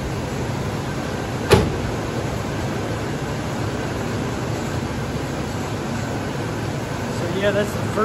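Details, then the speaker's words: 1973 Chevrolet K5 Blazer V8 after reattaching the leaking exhaust manifold, with washers under a deteriorating stud. Steady, even idle with a low rumble and no ticking, puffing or exhaust leak. Normal idle. "no engine noise no ticking no exhaust leak so that's a win"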